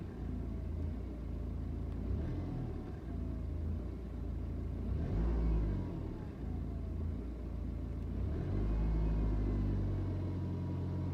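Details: BMW 320d N47 diesel; uneven clatter at idle, revs hang and hunt after each throttle blip before settling, plus blue smoke and strong smell on cold start; unstable misfiring idle, cause not confirmed.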